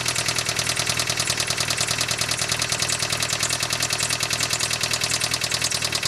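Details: 1999 Mitsubishi Eclipse petrol engine idling with a rapid, even, light ticking from the top end; suspected lifter tick, not confirmed.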